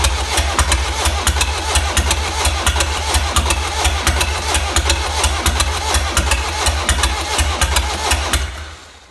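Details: 1.6 HDi diesel starting and idling with a hard, regular tick about one or two a second over the rattle; suspected timing chain, camshaft, tappet or bent valves.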